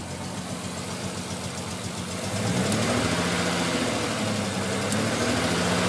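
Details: Cold start on a non-turbo Nissan R33 after sitting about 2 days: hard cranking, then a lumpy, stumbling rough idle with misfire and hunting revs until about 10 minutes of warm-up. Coilpacks, injectors, gasket and fuel supply tested fine; cause unknown.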